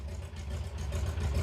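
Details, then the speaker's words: 68-year-old museum airplane, a piston twin sitting about 20 years, first start: the big piston engine idles low and lumpy with an uneven beat like a huge cam; the owner says it is actually missing at idle. "because the sound from it idling is epic that just sounds like it has a huge cam in it when what's happening is it's just missing"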